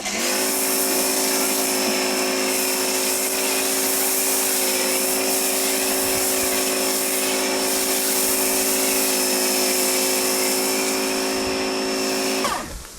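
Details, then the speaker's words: Oleo-Mac PW 110 C pressure washer with the foam nozzle fitted, after the unloader valve repair: an even motor hum for about twelve seconds, then a clean cut-off as pressure builds, working normally. "Вмикаємо. Мий. Тиск набрався. Мийка вимкнулась. Все працює."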